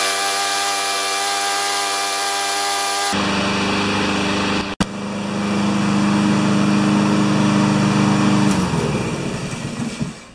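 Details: Honda walk-behind mower with its broken rewind spring repaired, restarted with a choke that takes about 30 seconds to open: runs at a steady, even hum with no knocks or misses, then winds down cleanly at shutoff; normal running.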